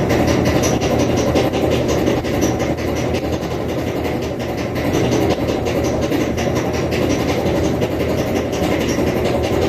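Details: Kenmore Elite HE3T dryer, model 110.85876401: constant hollow rumble with a quick, uneven thump-thump three to four times a second as the drum turns, from bad drum rollers.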